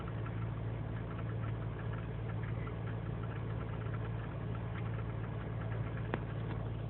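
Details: 2003 GMC Sierra Z71, 5.3L V8 non-flex fuel, cold start after overnight in single-digit temperatures, idling unassisted: uneven stumbling idle with ticks; lean and misfire codes, owner suspects failing intake gasket.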